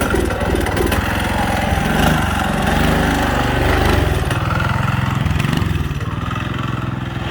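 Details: Budget mini bike small engine: lumpy putter at roughly three to four beats a second that wavers and sags; uneven running.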